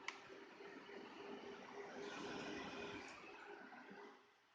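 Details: Zotac GTX 1080 Ti AMP Extreme graphics card, manual fan setting at 100% with case fans off, GPU on backup BIOS: steady rushing whoosh with faint constant hum swells up then eases off as fans ramp down; normal fan noise at full speed.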